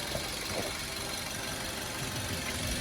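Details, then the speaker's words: Used 2006 Suzuki Swift automatic, pre-purchase check, engine running: quiet idle with an even, regular rhythm and no clatter; uneven clatter would suggest damaged metal parts. Normal idle. "Dan kita lebih mendengarkan suaranya kalau iramanya rata kayak gini itu berarti normal ya biasanya genjang cecak itu mungkin ada beberapa besi atau komponen yang rusak"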